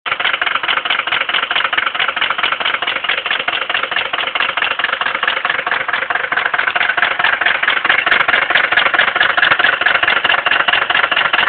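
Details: 1979 Mercedes 300D diesel idling with loud rapid hard metallic rod knock on every crank turn; shortly afterwards the rod broke through the block.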